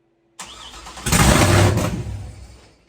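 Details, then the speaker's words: First start of a freshly built engine with VATS disabled, no radiator fitted, jury-rigged start: brief crank, catches and roars about a second, then dies within two seconds; starts then stalls, immobiliser suspected. "I'm gonna look through the instructions on the wiring harness. It did say something in there about if it starts and then stalls immediately."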